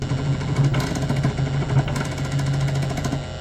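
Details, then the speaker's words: Lionel TMCC PRR S1 duplex 6-38024, sounds muted: runs fine in reverse but won't move forward; steady low motor drone with fast rough buzzing chatter, worm gear seemingly skipping on the drive gear, unconfirmed. "not sure if you can hear it on the video but you could it sounds like the worm gear is skipping on the drive gear so hopefully it should be a pretty easy fix"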